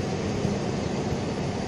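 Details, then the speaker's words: 2001 Ford Mazda pickup (same as Ranger) with code P0301 after an engine wash. Rough, uneven idle with a low lumpy beat and dropped pulses; the damaged ignition coil is not firing cylinders 1 and 4, and a spare coil will be installed. "Qué quiere decir que la bobina está dañada sufrió daño ahí vemos cómo está cómo está disparando la la bobina pero en el uno y en el cuatro no están disparando"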